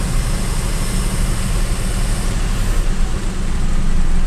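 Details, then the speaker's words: Avanza/Xenia (old model) after cleaning the ISC idle control valve and letting idle re-adapt (EFI fuse had been pulled): low, even rumble settling after a blip with no hunting or surging, RPM back to a steady normal idle. "Nah, RPM-nya udah kembali ya, udah normal ya. Jadi ini tadi tips untuk RPM-nya yang naik atau bandang."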